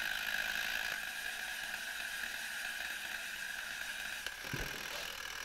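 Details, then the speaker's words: 1972 Zelmer SC hand dryer, cover removed, spring-wound automatic timer (about 2 minutes): faint uneven ticking as spring unwinds, then one sharp click as the switch contacts open, cutting the dryer off. Timer working properly. "O, teraz było wyraźnie słychać. On się teraz rozłączył, czyli teraz on jeszcze się tutaj, ta sprężyna rozwija, ale w tym momencie już powinna być suszarka wyłączona."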